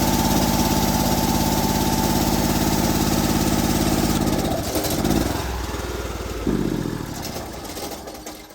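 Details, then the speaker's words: Honda IGX800 pressure washer engine after a repair attempt: fast putter that dips and surges before settling, throttle slightly more even but still hunting; owner suspects oil pulled from the crankcase through the PCV into the intake and spark plugs. "sounds like it evened out the throttle a little bit"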